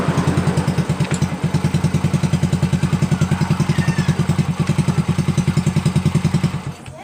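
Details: Honda Supra Fit New engine after repair of the cam chain and broken tensioner: even, steady thumping idle with no clatter; the ticking is gone and the engine runs smooth again, normal idle.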